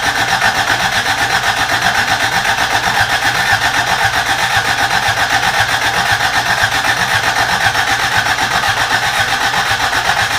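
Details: Rebuilt carbureted Toyota Corolla, first start attempt: starter churns steadily about four beats per second for ten seconds, never fires; fuel not reaching carburetor suspected, old gas believed bad.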